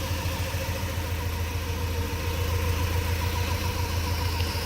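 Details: Honda Civic with a swapped-in H22 engine from a Prelude: low, lumpy idle with an uneven chuff about three times a second. Cylinder number two is dropping out, a steady misfire.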